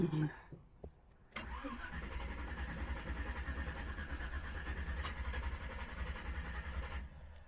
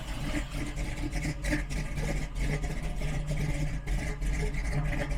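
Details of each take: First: Engine just fitted with Aces Killshot Fusion fuel injection, first start attempt after loose battery terminal: starter churns steadily about five and a half seconds without catching; fuel had not yet reached the throttle body, so cranks long. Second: Big-cam engine just fitted with Aces Killshot Fusion fuel injection, just after first start: deep, uneven loping idle with heavy low rumble and no knocks or misses; a big cam running normally.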